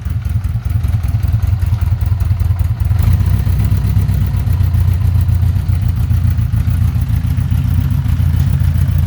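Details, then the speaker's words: 1982 Honda Gold Wing Aspencade, cold, just after new exhaust without crossover: steady even low rumble idling slow, smooth regular firing, no knocks, ticks or misses; normal cold idle. "[Music] that's a lot better she is cold so she's idle and low"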